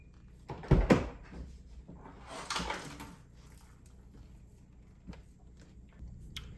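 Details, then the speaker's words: BMW 750Li (Project 750Li) door latch/lock unit after refitting, door closed to check fit: a couple of solid thunks, then a softer pull-in as the soft-close latch grabs and closes the door properly; works as it should. "All right, there you go. So everything works exactly like it should."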